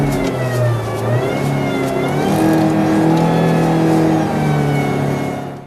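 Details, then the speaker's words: Hydraulic power steering (DHB system): a loud high-intensity whine over the revving engine, rising and falling with rpm, at high engine speed under high system pressure; possibly caused by internal pump wear. "é um ruído de alta intensidade que ocorrem em altas rotações em condição de alta pressão do sistema"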